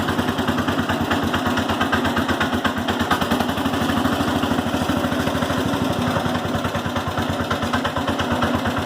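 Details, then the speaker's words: Cub Cadet 107 single-cylinder engine just after generator installation and adjusting the points: idle has a hard regular diesel-like knock every firing stroke; owner suspects ignition knock, possibly points gap needing to be closer; charging problem also noted. "you can still hear it it still sounds like a diesel something still knocking I think it's ignition knock"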